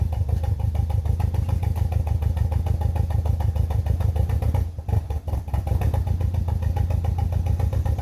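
Lumpy, uneven idle with a chuffing stumble that keeps breaking the rhythm, briefly dipping mid-clip; a misfire on this four-cylinder.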